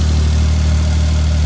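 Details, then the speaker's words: Old fuel-injected four-stroke snowmobile after 30 days underwater, dried out, oil and water-filled chain case drained, computer connections cleaned and greased: deep steady idle thrum, even beat, no misses or knocks; normal idle. "we'll let her we'll let her run for a minute awesome awesome awesome"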